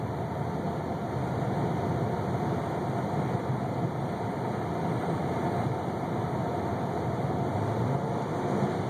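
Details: 1998 Toyota Camry at idle. A steady but rough, slightly uneven low rumble with no clear rhythm: an engine misfire with no evident cause.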